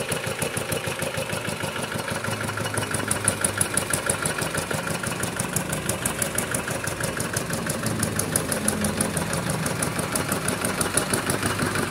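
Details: Kubota RD65DIS single-cylinder diesel after a service with the cylinder head refitted and timing set, fitted with an RD85 pusher and no exhaust: crisp, even putter at about three beats a second, steady and regular; running healthy, with a dry exhaust.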